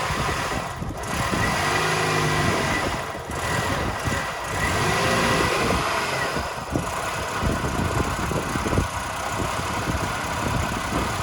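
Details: 2000 Toyota Yaris 1.3 VVT-i automatic at idle with an uneven, stumbling beat of sags and surges. No fault codes; plugs, air filter, fuel pump and throttle position sensor replaced without fixing it; MAF not replaced. Misfire or hesitation, cause unknown.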